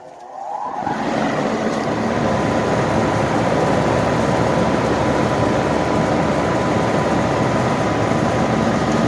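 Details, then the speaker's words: 1984 Carrier 2.5-ton AC condenser, ICM 870 soft starter just installed, around 90°F outside: steady whooshing fan roar with no compressor hum; soft starter flashing red, only the fan came on, connections to be checked. "So I do have a flashing red, so I need to double check my connections to see, because right now only the fan came on, the compressor didn't."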